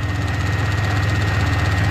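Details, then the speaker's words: Pontiac Grand Prix at steady idle during restoration: light, regular clicking on top, not internal; a loose plastic piece, believed to be the evap purge solenoid, banging against the engine; owner suspects it causes the check engine light. "it did not sound like it was the engine itself it sounded like it was a plastic piece on top of the engine that was just banging against it"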